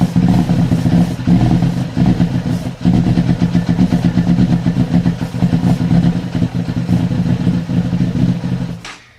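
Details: Yamaha FZ6 with a no-start problem: fires on starter fluid but runs rough, blipping and sagging at idle while the throttle is feathered, then dies. It stalls immediately if throttle is applied; stalling after start.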